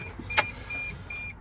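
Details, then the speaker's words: 2003-2006 T1N Sprinter van with good battery, alternator, solenoid and starter, key turned: one sharp starter relay click then silence, no cranking, faint chime behind it; intermittent no-start, jiggling the shifter is a known technique to try. "all right so your relay's clicking you can hear your starters clicking okay"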